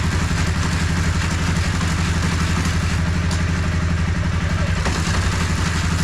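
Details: 2013 Honda CBR250R single-cylinder motorcycle bought cheaply at auction, on a paddock stand after clutch cable free-play adjustment: steady, even low thump at idle, about four beats a second, no knocks or rattles; idling cleanly.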